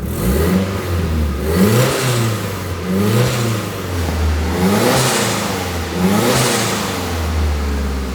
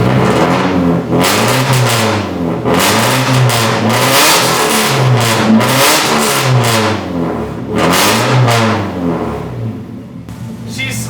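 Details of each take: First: Nissan 240SX S13 after a cylinder 4 injector replacement, ignition and fuel filter refresh, and a crankcase ventilation fix: crisp throttle blips rising and falling cleanly, no misses, hiss or knocks; engine healthy. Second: Nissan 240SX S13 after a distributor, rotor, cap, plugs, wires and fuel filter refresh and a new cylinder 4 injector, warming up and possibly on old fuel. Throttle blips stumble and pop unevenly, an intermittent misfire under revving.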